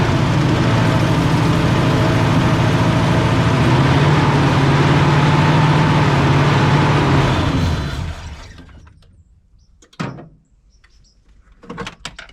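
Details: 1989 Ford Mustang GT 5.0 V8 Fox body with old foul-smelling fuel, gauge at 3/4 tank: rough uneven running held only while brake clean is sprayed, then dies when throttled; fuel not reaching engine.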